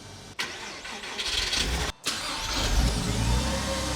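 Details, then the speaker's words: Porsche 986/987 Boxster/Cayman after starter motor replacement: brisk, strong cranking that catches promptly and settles into steady idle, versus slow crank before; normal cranking and start, starter fix confirmed. "Holy cow. This thing is transformed. Oh my gosh. That was night and freaking day."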